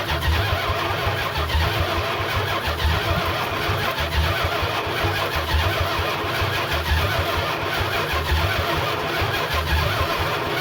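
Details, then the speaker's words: 1969 Chrysler 300 V8 refired with temporary carburetor setup, open exhaust manifolds, 70 psi oil pressure, steam from heater hose: loud uneven loping idle with surges; runs fairly well, owner suspects slightly retarded timing or just open-manifold sound. "Engine still runs pretty good. It sounds a little slow on timing to me, just a little bit. It might also be the sound of the manifolds."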